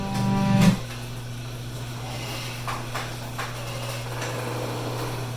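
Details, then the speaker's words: Noisy garage door opener at a coastal house in Gulf Breeze, Florida, after spraying lubricant on rusty parts and cycling the door: even low hum with only faint rail noise, a lot less angry sounding. Smooth, quiet operation. "so definitely a lot less angry sounding"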